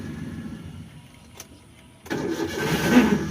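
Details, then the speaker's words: Maruti Alto K10: engine catches after a short crank, then a rough whirring rattle rides over the idle right after starting; self starter motor problem, starter drive gear not disengaging. "Self लगाने के बाद में गाड़ी start हो जाती है। Start होने के थोड़े से तुरंत ही बाद आवाज आती है।"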